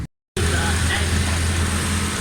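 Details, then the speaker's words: Suzuki Alto 1000cc with pick-up, missing and fuel problems, after carburettor repair replacing two wrong jets (new small medium jet and rear slow jet), needle valve checked: even, steady low drone without misses, stumbles or hunting; running normally. "पीछे वाला slow jet भी change किया है। माशाल्लाह ठीक है गाड़ी।"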